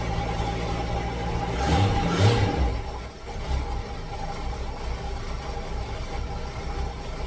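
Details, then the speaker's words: 1966 V8 ("Rita") with carburetor, running rough on start-up after spitting, sputtering and dying: uneven lumpy idle that stumbles, sputters and misses irregularly, smoking while stumbling; air-fuel mixture wrong, misfire from a carburetor fault. "that it's running real rough it's smoking as well while it's stumbling so definitely air fuel mixture is wrong stumbling sounds like it's missing a little bit it's all over the place"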